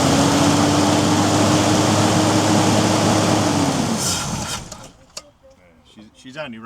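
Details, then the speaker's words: 1990 Toyota LandCruiser petrol 3F six-cylinder, sat for years, tank empty, running only on fuel poured into the carburetor bowl: smooth and even for about four seconds, then fades out as the fuel runs dry; normal running. "off what I tipped in the bowl. Uh once we hook this fuel supply up, we'll drain the tank and and put some in it, but she's she's definitely running. Sounds good, too."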